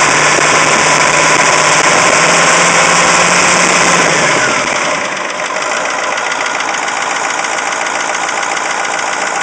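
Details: Caterpillar 3208T diesel in a 613C, after running hours with injection pump over-advanced; fresh injection pump and turbo: steady metallic rattle, three or four knocks a second, eases when warm, stops with #4 line cracked; owner suspects fuel/injector knock or piston/ring damage.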